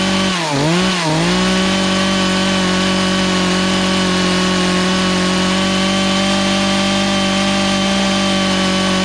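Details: Poulan Pro two-stroke chainsaw that sat three years, high-speed carb screw being adjusted counter-clockwise as owner suspects fuel starvation: high steady scream with brief dips on throttle blips, bogging lean.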